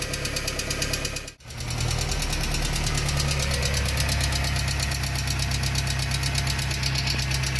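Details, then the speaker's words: VW AP 1.6 G3 flex petrol engine ticking quickly, about three a second, at idle right after restart from hydraulic lifters not yet filled. Oil pressure was 3 bar cold, dropping to 1 bar hot at idle. The oil pump was replaced and a larger oil filter fitted. "ainda tá batendo um pouquinho vamos ver se carrega né você vai carregar mas acredito que ó vamos esperar para ver se vai parar o barulho não né"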